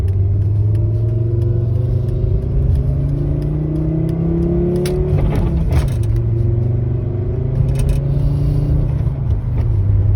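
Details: Abnormal noise under acceleration on an 850R: deep engine rumble as it revs, with a faint tone sliding up and down alongside; source not identified.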